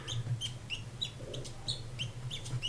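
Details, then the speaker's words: Unserviced 1984 Seiko 6309-7049 Turtle dive watch: short high squeaks as the tight crown is screwed down, from an old worn seal. "Crown screws down or screws in ooh it's pretty tight old seal for sure I can hear it"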